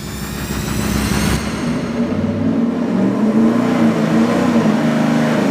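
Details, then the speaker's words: Engine dyno full-throttle pull on a budget 750 CFM four-barrel carburetor with the secondary butterflies zip-tied to open fully. It sounded way cleaner, climbing smoothly with no stumble or popping. "I could see in the video that earlier I could see the screws on the throttle blades and this time they were rolled all the way over yeah it sounded way cleaner too"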